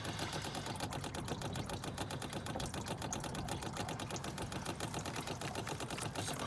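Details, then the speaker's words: 2013 Ford Focus MK3 1.6 TDCi: a battery-powered pressure bleeder pump pushes fluid through after a clutch, flywheel and slave cylinder replacement. A rapid, even buzzing pulse with no stumbles; normal pressure bleeder pump operation. "wait until that stops clicking and then we can go ahead and release this valve"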